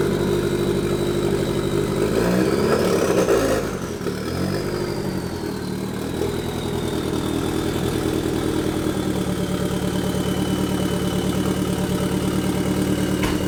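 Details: Nissan 240SX KA24 drift build, first start after turbo, manifold and intercooler install on the stock ECU with bigger untuned injectors, probably running rich: rough catch, flare with turbo whistle, then slightly lumpy idle.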